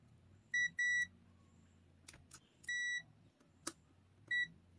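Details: AstroAI M4KOR multimeter continuity test across a push-button switch: four crisp, steady high-pitched beeps, each about a third to half second, in a quiet room; the button conducts, continuity good.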